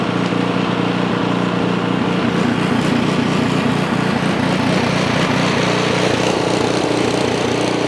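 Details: Ariens Path Pro 208cc single-stage four-stroke snow blower, just started with key on and primed, before surge fix: small single-cylinder engine at steady, even idle with no hunting or surging; normal idle.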